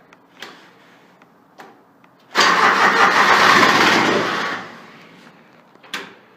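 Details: Grasshopper 721D diesel mower, unused for one to two weeks, after glow plug preheat holding the key about 20 seconds, retried: faint relay clicks, then a loud two-second rush tapering off as it cranks and catches; normal start.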